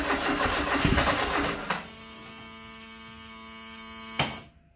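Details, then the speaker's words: 1974 Alfa Romeo Spider Veloce, 10K original miles, stored 30 years; cranking with accelerator floored: uneven starter churn under two seconds, then faint hum and click, never catches; fuel pressure light on, owner later suspects flooding. "The fuel pressure light is coming on when I pump it. It's trying."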